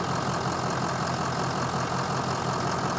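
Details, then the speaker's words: 2006 Forest River Sunseeker 2900 with Ford Power Stroke turbo diesel, about 9,029 miles, hood open, mic at front: steady even diesel idle with smooth clatter, no misses or knocks; engine sounds healthy. "so here I'm gonna give it a turn walk around back right in the front of it motor sounds really good"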